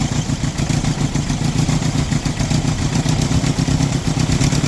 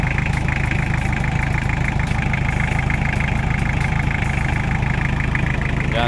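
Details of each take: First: Toyota Tamaraw FX with Toyota 2C diesel, before repair, hard starting and low power: lumpy, uneven clatter with dropping pulses, no RPM, idle won't hold and engine dies; diesel misfire. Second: Toyota Tamaraw FX, Toyota 2C diesel, after repair of misfire and hard starting, started in neutral and now starting on one click: regular, smooth clatter holding a steady idle without stumbling or dying; normal idle.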